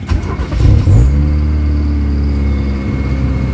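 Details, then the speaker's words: Kia Pride with white smoke, engine vibration and low power, before XADO treatment, cold start: fires and holds fast idle near 2000 rpm, expected to drop to 1000 after minutes; high cold-start idle. "mataas agad yung Menor so sobrang taas sa Menor pag mamayang konti ganyan na yung mga lumang sasakyan"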